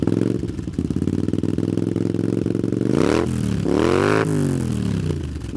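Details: Honda CX500 cafe racer twin, finished project, just started: even, lumpy twin idle beat rising cleanly through two quick throttle blips and settling back; runs healthy, idle speed needs adjusting.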